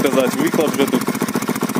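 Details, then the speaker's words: Delta 125 moped after repair of lost compression and no-start (valves suspected), timing chain tensioned, carb tuned, oil added to nearly dry engine, new plug, cut-off open exhaust: even raspy pulsing idle, no knocks or hunting; stable normal idle. "Ну отак у мопитка робить стабільно. Обороти не плавають. В принципі нормально."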